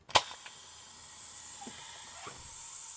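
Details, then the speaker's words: Van Hool T812 Alizee 2 bus pneumatic door valve Bosch 0 481 500 007, reassembled after cleaning seals: sharp pneumatic pop then steady high hiss as air leaks with door closed; leak source suspected in valve plugs. "it closes. But as you can hear, now it is leaking when the door is closed."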